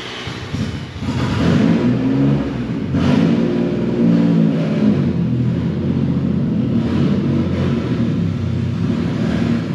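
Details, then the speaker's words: Turbo Nissan Z after a test drive: raw, loud, raspy drone swelling and blatting with revs; owner is sure the turbo V-band clamp exploded, exhaust blown apart. "I don't even have to like look to see what happened I'm pretty sure the v-band just like exploded"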